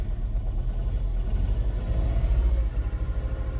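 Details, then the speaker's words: 2007 Mini One 1.4 petrol, 6-speed, idling then revved: low uneven rumble surging and dipping, sounds a little lumpy; owner says it has a misfire somewhere, cause unknown. "So as you can see and hear, it just sounds a little bit lumpy."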